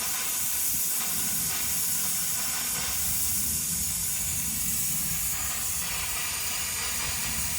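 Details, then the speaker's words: Compressed air blowing water out of the 16-foot shower hose, joystick valve turned hot then cold, while winterizing a 2021–2024 Winnebago Revel with the HydroLink panel; steady high hiss with faint rushing surges, normal blowout. "And we'll want to do the same thing, turn it hot, let it blow all out, and then turn cold, let it blow all out."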